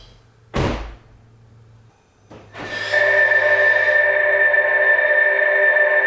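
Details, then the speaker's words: 2022 Toyota RAV4 Prime SE stock pedestrian warning system at startup, hood closed, heard as in the morning; door thud then steady electronic hum with clear high tone, very loud; speaker working normally. "i wanted to demonstrate the pws to you so you can hear it for yourself i'm going to start it up i didn't pop open the hood you're hearing it exactly as you hear if you're driving it in the morning"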